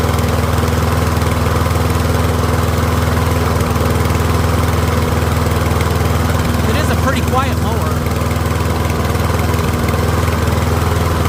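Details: Troy-Bilt rear-wheel-drive mower with Briggs & Stratton engine, after ultrasonic carb cleaning, warmed up and left running on partial fuel: steady, even single-cylinder putter at fast idle, no misses or surging; running cleanly.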